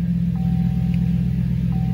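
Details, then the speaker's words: Truck engine started cold after sitting overnight, run briefly with the serpentine belt removed; a steady, deep idle with no whine confirms the whine comes from a belt-driven bearing, likely the alternator. "wine at all that's what it should sound like"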